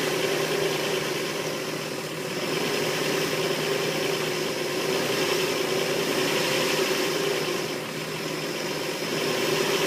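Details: Engine just after head gasket replacement: uneven, slightly hunting idle with a faint hiss; won't run smooth, owner suspects a possible vacuum leak.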